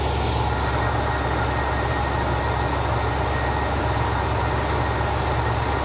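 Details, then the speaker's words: 1971 Cadillac Deville 472 V8 after Quadrajet carburetor restoration, at idle: steady low rumble with slightly uneven, loping beat; rough idle, owner suspects internal engine cause rather than carburetor. "a little shaky I don't think the carburetor is going to eliminate the uh the shaky Idol I think it's going to be something internal to the engine to be honest with you"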